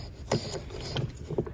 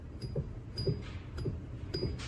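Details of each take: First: Land Rover Discovery II old belt tensioner pulley, removed and hand-spun: gritty, uneven rumble with irregular clicks and some play in the pulley, from bad bearings; the new aluminum replacement spins silently. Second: Land Rover Discovery II, new replacement belt tensioner pulley spun by hand: only soft finger strokes, no rumble or grind, unlike the old tensioner with bad bearings and play; healthy quiet bearing.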